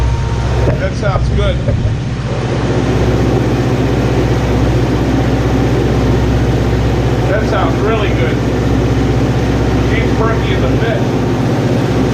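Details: Neglected Kawasaki Concours ZG1000 after rebuilding gelled-up carburetors; steady, even four-cylinder idle with smooth low drone, no misses or knocks. Normal running.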